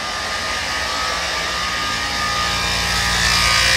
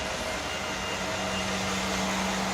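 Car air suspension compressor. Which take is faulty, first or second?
first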